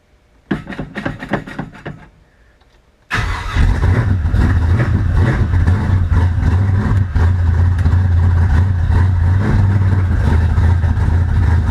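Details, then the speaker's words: V8 first start after new cam, lifters, stall converter and shift kit, timing set about 16-20° BTDC, no vacuum advance, headers: cranks, fires, loud lumpy idle, slightly uneven; owner thinks it needs a bit more timing. "it needs just a hair more timing but I'm not even going to run it long enough to run the timing light that's that's loud that's freaking loud and that's like full exhaust too"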